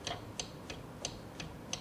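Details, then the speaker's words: Quantum 4Front power chair, wheel rocked by hand: sharp high-pitched tink tink tinks about every third of a second from the parking brake housing; loose brake parts rattling, before repair. "here there's sort of a high pitched like tink tink tink sound yeah there's things that are very loose in here"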